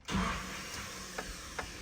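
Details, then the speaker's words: Nissan D21 Hardbody, KA24E, 5-speed, right after a used starter was installed. Key turns and a light, steady electric whir spins with no cranking; the starter spins but its drive never engages the flywheel. Starter spinning without engaging. "so basically I guess what that would show you is what another bad starter sounds like so the starter is spinning it's just not engaging which uh is also a problem another form of a bad starter"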